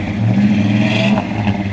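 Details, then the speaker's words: 1972 Chevrolet El Camino, original 350 V8 with 4-barrel carburetor, HEI ignition, automatic: low, steady rumble heard at the rear from the dual exhaust, even beat, no ticks or rattles; normal idle. "Nice little rumble to it. Runs all the way out the back. Nice dual exhaust."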